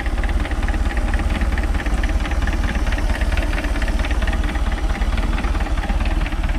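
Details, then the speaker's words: MerCruiser Alpha One Gen 1 3.0 L 181 cid 140 hp boat engine just after a full tune-up (points, condenser, cap, rotor, plugs, wires, oil and filter): even, regular low idle thump with no skips or knocks. It starts easily with no leaks, a normal idle. "Sounds good. Alright. It's got a good idle to it too. Nothing leaking."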